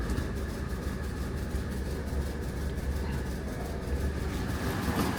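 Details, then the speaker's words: Classic Renault R16 just after first start following a bottom-end repair for low oil pressure and knocking, cold on choke: smooth, even low idle with a steady rhythm and no knock or tapping; the engine sounds healthy. "right this is sounded absolutely sweet"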